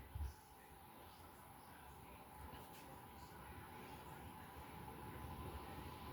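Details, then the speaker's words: Restored 52-inch white outdoor Craftmade ceiling fan with five new blades, after its bad capacitor was replaced: a steady whoosh of moving air over a smooth low hum, no clicking, rubbing or wobble, and much more airflow; normal running. "So much more wind."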